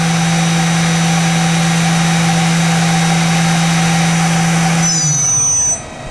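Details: 1995 Okuma & Howa Millac 511V CNC vertical machining center, CAT-40 spindle rated 10,000 RPM, stepped up through about 8,000–9,400 rpm: clean steady high hum with no rumble or grinding, then a smooth even coast-down; a healthy spindle.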